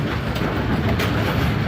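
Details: Bowling pinsetter after reinstalling pin-detecting link and new bell crank, restarted from 90° on a strike: continuous mechanical rattle and chain clatter cycling without jamming or stalling; waited at 180, running normally.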